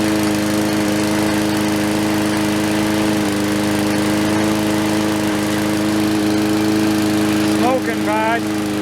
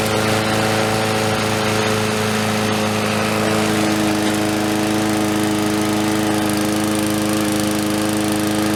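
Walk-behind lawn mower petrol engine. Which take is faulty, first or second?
first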